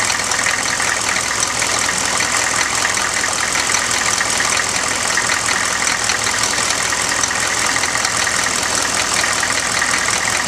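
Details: 1995 GMC Suburban 6.5L turbo diesel on first start after an HX35 Holset-clone turbo swap, with the turbo pre-oiled, warming up: steady, evenly paced idle clatter with a bright hiss on top. Normal idle.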